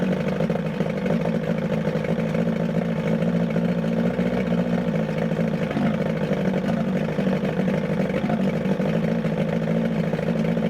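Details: 1978 Evinrude 115hp two-stroke outboard on muffs after water pump replacement: uneven clattery lumpy stumbling running; owner suspects timing off, later set pickup timing to 5° BTDC and replaced plugs.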